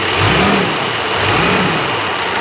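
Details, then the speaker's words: Engine revved once the aircon clutch engages: dry metallic rattle rides over the revs. Owner judges the AC compressor, possibly a Santos unit fitted years ago, is failing; system to be degassed. "yeah, the compressor sounds upset."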